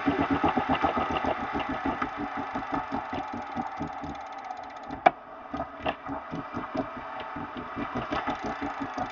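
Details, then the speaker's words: Elite Direto XR trainer freewheeling down by hand with rough rhythmic scraping about four times a second; grinding persists after the pulley was cleaned and JB Welded, and the owner suspects a bad bearing on the power meter axle. "So I think it's probably a bad bearing on the right side or the left side."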